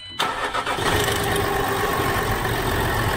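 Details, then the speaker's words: Land Rover Discovery 4 (LR4) 3.0L TDV6/SDV6 diesel, first start after oil pump replacement, oil drained; short crank, catches cleanly and settles into an even, steady idle with no knocks or rattles. "and then it starts and all the worries are gone one and a half days we worked on that car and the oil pump on a Land Rover Discovery 4."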